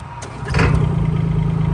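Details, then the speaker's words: 2016 Bobcat E20 mini excavator, Kubota diesel, after glow plug preheat: brief crank, engine catches immediately and settles into steady even idle clatter; normal start, starts right up. "Starts up just like that."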